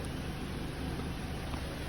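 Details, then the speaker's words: Car engine running after replacing alternator with shot bearing (noisy only under load; water pump also replaced earlier): even, steady hum with no squeal or whine; charging system quiet and healthy. "and the noise is gone no more noise in my car"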